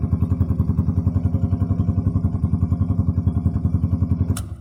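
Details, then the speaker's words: YM50RE carbureted 50cc motorcycle with a 72cc big bore kit: an even, steady putt-putt idle at about 3.5 beats a second, no misfires or rattles, then switched off. No engine management light; healthy. "That's it for the YM50RE carbureted version. Engine management light's not on, nothing, no issues to this one at all."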